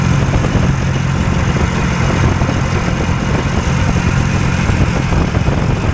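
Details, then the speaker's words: Hovercraft two-cylinder engine driving a load via drive shaft: steady fast even drone without dips, deliberately left at high idle because it is pulling a load all the time. "it's got a pretty high idle and I'm got to leave it at high idle because it doesn't uh it's pulling a load there all the time"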